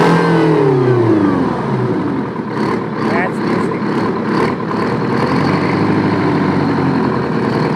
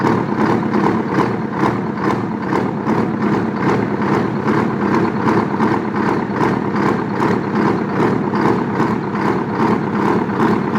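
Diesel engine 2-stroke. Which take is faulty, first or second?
second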